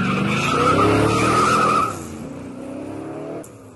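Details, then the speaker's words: Mercedes W203, radiator cooling fan runs at full speed as soon as ignition is switched on: loud steady roar with a wavering whine; codes P1636 radiator air control interruption and component M4/7 fault. "comme vous pouvez entendre le moteur du ventilateur tourne à grande vitesse dès qu'on met le contact il démarre tout de suite"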